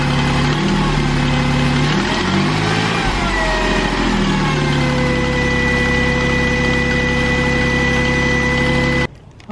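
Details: 2008 Jeep Wrangler Unlimited 3.8L idling with a steady high electrical whine that bends in pitch on a brief rev. There was a faint electrical burning smell, and a new belt tensioner pulley didn't help. Failing alternator, replaced.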